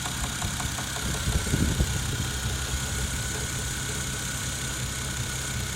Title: Стук в двигателе 1jz gte